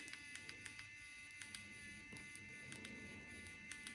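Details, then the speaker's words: Geeetech SL300 3D pen version 3 at 167°C: faint motor whine with irregular sharp little pops, a few each second. The filament is popping because the nozzle is too hot. "I also hear the filament popping. So it's too hot, at least."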